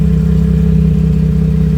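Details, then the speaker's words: Chrysler Town & Country running in a cold shop: loud, steady low exhaust rumble with a rapid puffing beat, with exhaust gases escaping through the cracked, rotted rear muffler, to be replaced with a Paradox muffler. "Here's our problem. This muffler back here, it's broken. You can see it's cracked right there. You can see the exhaust gases coming off right there where it's black."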